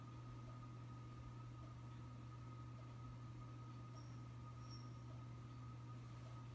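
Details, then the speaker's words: 1977 Lasko model 4746 20-inch box fan with thermostat. Steady low hum with a noticeable, constant thin motor whine above it, no rattles or scraping. Normal running. "as you can hear does have a pretty good motor wine"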